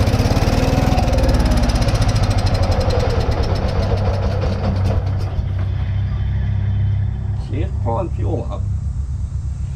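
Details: Allis Chalmers 410 tractor, first start in 8 years, fresh petrol, choke working but no throttle: starter chugs the engine about three times a second without catching, then slows and stops while still pulling fuel up.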